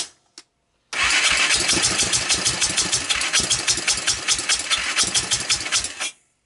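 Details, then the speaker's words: Honda TRX300EX, previously rebuilt engine, cleaned OEM carb swapped for PZ27, intake valves adjusted, portable CDI, started on starting fluid: catches after few cranks then stumbles with uneven, lumpy pulses, never settling; owner suspects wrong carburetor fuel level, possibly wrong timing. "when I first started it the carburetor was quite full of fuel right the second time I started it for you guys there was less fuel so I think my my problem is this carburetor the level is not in a good place"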